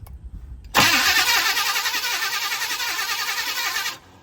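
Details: 1971 Chevrolet Monte Carlo, old 350 V8 being revived after sitting, spark confirmed: fast even starter cranking about three seconds, spins freely but won't fire; owner suspects fuel not reaching carburetor, plans filter change.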